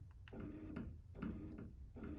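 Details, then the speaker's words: Motorised roller blind motor, speed raised via the remote's P2 button from the middle to the faster setting: short hum bursts with a faint tick, pitch audibly higher and steady; running normally at the faster speed. "and you hear the pitch of the motor change and now we're operating at our faster speed"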